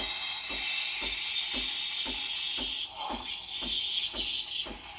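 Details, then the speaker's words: Breville BES870 steam wand aerating milk for a latte, with air injected for about 20–25 seconds. Even, bright hiss with soft regular pulsing as the tip draws air into the milk; normal steam wand operation. "you want to hear the hissing sound you want to do this hissing gun for about 20 to 20 seconds"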